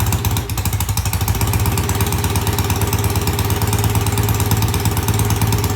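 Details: BSA A65 twin motorcycle, cold start after cleaning the pilot jets in new Premier carburetors, carbs tickled: fires promptly and settles into an even, steady thumping idle with no misses or knocks on both cylinders; healthy start.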